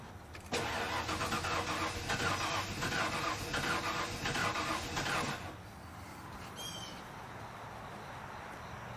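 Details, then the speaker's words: 1997 Ford F-250 that sat a decade, fuel pressure gauge on the rail with the core removed: starter cranks steadily about five seconds without catching; crank no start, pressure reaches spec but bleeds down, owner suspects one leaking injector. "all right once more all right so it gets up to where it's supposed to but it looks like it's bleeding down and it's probably one injector"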